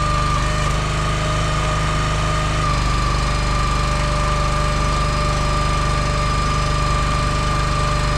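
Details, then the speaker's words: Engine-driven log splitter with two-stage hydraulic pump splitting wood: steady engine drone drops to a lower laboring pitch as the pump enters its second stage, slowing then pushing harder, normal behavior. "You can hear it when it goes into that second stage. It'll slow down, and then it just reinforces itself and starts pushing even harder."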